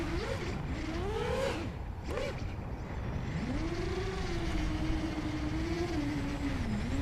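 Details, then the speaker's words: Scratchbuilt quad with Hyperlite 2206.5 1922KV motors, Newbeedrone Infinity 200 FC/ESC, on 4S: motor whine wanders, then briefly cuts and recovers at mid throttle. Sounds like a motor desync, but gyro jitter linked to the 5V rail is suspected. "oh no no it just happened at like mid throttle it sounds like a motor dc but i'm pretty sure it's the gyro jitter"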